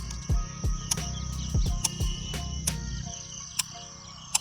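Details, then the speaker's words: Royal Enfield Himalayan 450: sharp light ticks about once a second from under the seat while pressing the electric starter; owner unsure of cause, recently installed GPS unit not thought to be it. "Then आपने देखा होगा यहाँ seat के नीचे से kit kit kit kit की आवाज़ आ रही होगी।"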